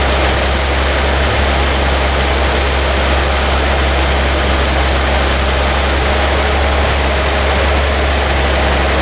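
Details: Toyota FJ40 Land Cruiser after new distributor, cap and rotor fitted (old mechanical advance wasn't advancing), base timing set good: smooth even idle, steady low hum, no misses or ticks; high idle still being adjusted.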